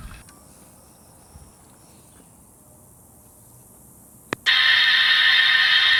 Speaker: See, these other ones you can't hear near as loud, but still go through the process.